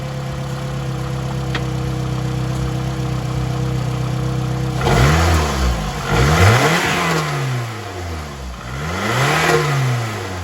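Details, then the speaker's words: Car just returned to running, radiator not yet installed, old gunky oil: idle with slightly uneven beat then surging revs, running a bit rough; owner plans Seafoam treatment, cause unconfirmed. "well another thing guys that sound a little rough I'm gonna probably run some seafoam through it"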